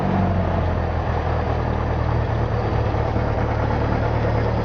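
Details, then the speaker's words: Cessna 172 on a cold day, started after priming, mixture full rich, throttle cracked: fired right up; low steady drone with even firing pulse just after start, no misses or surging; idling smoothly. "Close that window because it's cold as crap. And we'll see what she does. Yep, fired right"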